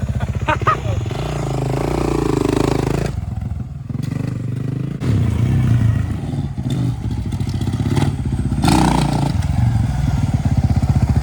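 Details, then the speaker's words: 2009 Kawasaki KX450F single with aftermarket performance exhaust, started after repairing a stripped oil drain plug, oil level correct: revs rise and fall cleanly with a crisp, even beat and loud exhaust. Sounds healthy, no oil leak. "Wow, that sounds really good. Yeah, it's got some kind of performance exhaust on it, but I can't tell what it says because it's all in Spanish."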